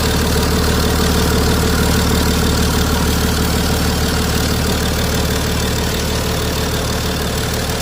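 Steady diesel idle with an even, regular clatter about three beats a second, no misses or knocks; engine is running smoothly.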